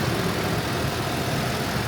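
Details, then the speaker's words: 2008 Ford Explorer 4.0L V6 idling at about 800-900 rpm after replacing a damaged MAF sensor plug harness, the MAF sensor and the air filter for sputtering and stalling; steady, even idle with no misses, no codes, check engine light off: normal idle. "So it sounds good. Code reader picked up no more error codes, and the check engine light remains off. All sounds good to me."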